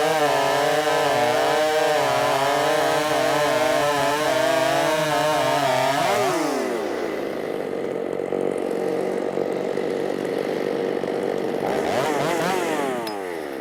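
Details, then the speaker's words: Ported Shindaiwa 757 chainsaw, 24-in bar, 8-pin sprocket, advanced timing, richened about half a turn after a lean white plug: revs drop and labour once buried in the cut; owner feels it needs a 7-pin sprocket, cause not confirmed. "one thing I definitely feel like it needs that seven pin sprocket on it I don't like it whenever I have to baby it through the cut and I did have to baby it a little bit through the cut right right there uh on all three Cuts"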